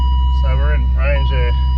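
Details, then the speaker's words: Barn-find Holden VE SSV Commodore ute V8, stored over 3 years, first start after cranking to build oil pressure and refitting the fuel pump relay: steady even low idle rumble with warning chimes; runs cleanly, 300 kPa oil pressure. "So, now we've built up oil pressure. We'll just put the relay back in and we'll see if it'll run and stay running. And look at that. She lives."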